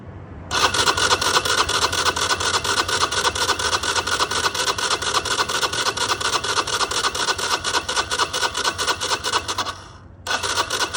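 Long, steady rhythmic cranking, about two beats a second, that pauses and starts again without the engine catching; a hard cold start.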